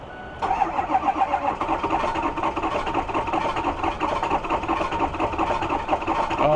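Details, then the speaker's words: Ford F350 diesel with a dealer-installed new engine, cold start after glow plugs cycled twice: long, steady starter churn that only catches at the very end, with heavy smoke; a severe cold-start fault, dealer suspected injector cups. "This definitely is exhibiting a terrible uh cold start condition."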